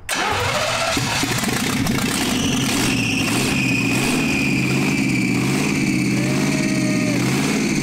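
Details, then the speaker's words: 1971 Jaguar XJ6 with small-block Chevy V8, sat 5+ years, after fuel delivery problems chased with fuel down the carb: engine catches and settles into a steady, slightly lumpy idle, running on its own; fuel filter now full. "nice i think it's running on its own whoa it's got a full fuel filter"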